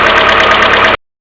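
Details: Mercedes A-Class W168 1.6 petrol, cold engine idling without throttle: busy rapid metallic clatter from worn hydraulic valve lifters (common on A-Class), fixed by replacing the lifters; continuous hum from the timing chain hydraulic tensioner also audible, tensioner needing cleaning or replacement.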